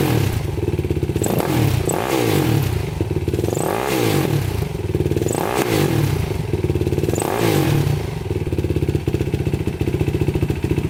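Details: 2006 Yamaha YFZ450 quad, cold start after sitting about 3 days. Fires instantly; crisp single-cylinder thumping idle with smooth throttle blips every two seconds, healthy; smokes slightly on throttle, owner suspects rings and valve seals.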